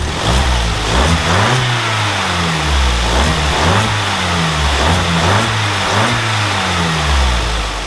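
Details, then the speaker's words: Vauxhall Corsa SE track car warming up on 10 L of old petrol, with the stock airbox still fitted before the induction kit. Warm idle with repeated quick blips that rise and fall cleanly, with no stumble, knock or rattle: a healthy engine. "that doesn't sound bad at all"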